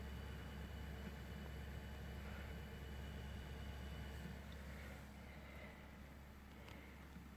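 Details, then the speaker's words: ML120 case fan (left one) with a steady, low, even droning hum, no knocks or rattles; the right fan runs fine; cause unknown. "There's some kind of problem with the fan on the left. This is the ML120."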